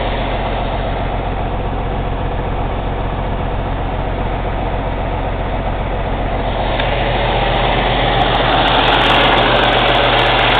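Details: Cummins ISX CM2250 diesel at raised idle during DPF regeneration: fast even intake chuffing, about four puffs a second, growing louder toward the end, no mechanical noise; owner suspects turbo chuff during regen, unconfirmed.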